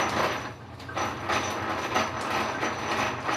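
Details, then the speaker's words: Lodge and Shipley lathe from about 1901 to 1905 running under power feed. A rough grinding from the gearbox swells about every half second and rises with speed, caused by a worn bushing in the main lever. "you can hear the grinding from that gearbox it's just because of the bushing that's actually in the main lever there"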